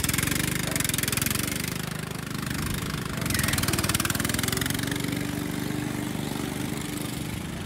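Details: Restored Jacobsen Chief 800, after a fix to keep the belt from flying off: small single-cylinder engine pulsing evenly, dipping slightly under load then recovering; steady healthy run.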